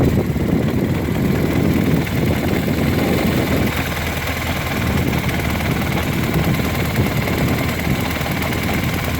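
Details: R1200R idling: an uneven mechanical rattle over the lumpy boxer idle, steady and not changing with speed; the caption links it to the transmission, but the source is unconfirmed.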